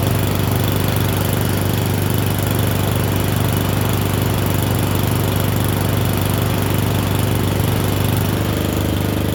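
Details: Murray Select 30" riding mower test-driven up and down a driveway: small single-cylinder engine holds a steady, even putter with no misses or surging; running okay, a little better, though the owner notes carburetor and gas tank issues.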